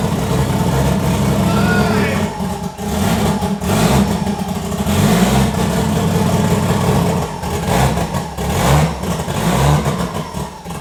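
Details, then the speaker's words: Newly built 1000hp 2JZ on first startup with the fuel pressure and intake air sensors disconnected: uneven, stumbling revs hunt and falter with each throttle blip; rough running. "Yeah, we're missing the sensor on the fuel pressure and the inlet for the air, so she doesn't want to. She's angry right now."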